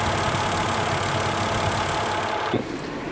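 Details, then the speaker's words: 2002 Mercedes C320 station wagon, non-4MATIC, after cooling fan replacement and reconnection, idling with AC on: steady even rush of fan air that cuts off cleanly near the end. Fault now stored, not current. Normal cooling fan operation. "we're going to give it a chance to actually start working on its own"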